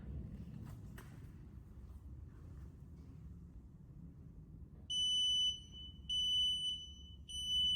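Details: CWU carbon fibre wheelchair reversing with the reverse beep setting on: three high, evenly pitched beeps about half a second long over a quiet hum, the reverse warning working as it should.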